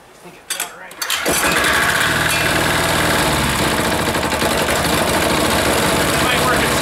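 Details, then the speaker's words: Air-cooled diesel engine just reassembled catches after a few sputters, then runs loud and lumpy at about three and a half beats a second; owner suspects air sucked in at a leaking fuel fitting causing the erratic running. "interesting it's having some running problems it's almost like it's got some air in that line again"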